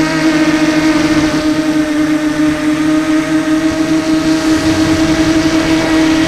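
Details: SunnySky 2204 brushless motor on a 250 mini FPV quad in flight: a steady high whine with a rough grinding whirr from a shelled-out motor bearing. The noise went unnoticed until landing.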